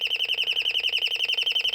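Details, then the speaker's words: Royal Smoke, Gas and Fire Alarm, estimated late 1970s or 1980s, sounding through a speaker rather than electromechanical or piezo, just switched on: high warbling chirp near 3 kHz pulsing about eight times a second, steady, like a flock of birds. The siren works normally. "Now you can hear that. That's pretty cool. Sounds like a flock of birds."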